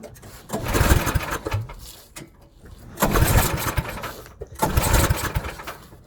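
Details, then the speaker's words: Snowblower small engine after auger belt replacement, at full throttle: catches, surges briefly, then sputters and dies three times in six seconds; owner suspects it is out of gas, fuel starvation. "it is out of gas. Right. Give me 1 second. See about adding some fuel. Maybe it is out of gas."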